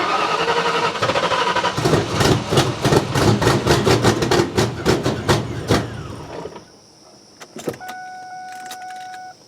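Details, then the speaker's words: Ford Mustang, flooded engine; uneven cranking with ragged firing bursts that never catch and fade out; flooded, won't start. "We're gonna try this anti-flood thing that Ford has on these cars, where you press the brake and the gas at the same time. It'll turn over and hopefully eject a lot of the liquid that's in there."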